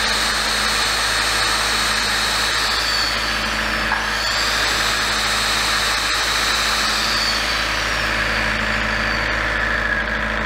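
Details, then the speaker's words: Large diesel generator set from auction, after repair of its shutdown fault: a steady, even engine drone of constant pitch that holds speed with no misses or hunting. Normal running. "but uh I think you got it at a good price so and it all seems to be working now then so yeah another good fix on this one I think"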